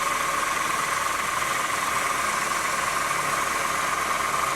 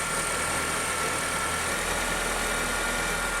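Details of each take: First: 2008 Honda New Civic, cold start, belt tensioner already replaced twice: constant high whine over a hissy idle that doesn't waver, bell-like bearing noise at low rpm when cold; worn power steering pump bearing. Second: 2008 Honda New Civic, first cold start after overnight: steady even cold idle, faint constant accessory hum, no metallic rattle from belt drive; healthy, approved cold.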